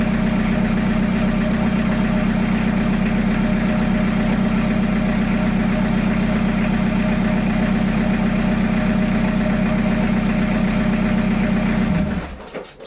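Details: Peugeot 806 1.9 TD diesel, start test after engine rebuild: steady, even idle clatter with a smooth, regular beat and no knocks or misses, then shut-off; runs healthy.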